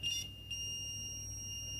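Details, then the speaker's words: Multimeter continuity test on the fuse of an eBay "untested" Nintendo DSi XL board, during repair of a botched prior repair attempt: a short chirp, then a steady high tone shows the fuse is continuous and good, so the port is addressed first. "Fuse is continuous. Check the EM10, also continuous."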